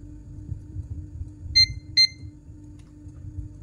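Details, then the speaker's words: Realme C35 phone whose power button did not respond: a multimeter continuity test on the board trace after a jumper repair gives two short, clear high beeps over a faint hum, so the trace is connected and unbroken. "Nah, ini bunyi dia terhubung jadi tidak ada patahan."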